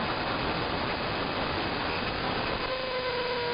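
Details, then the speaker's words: Interference across the entire AM band: steady hiss, then thin tones stepping downward like a motor changing speed; not apparently RF, owner suspects an electromechanical motor, possibly from the industrial park two blocks north. "And you can tell when it's shifting down, it sounds like a motor in stages. It sounds like it's shifting gears. Strangest interference I've ever heard."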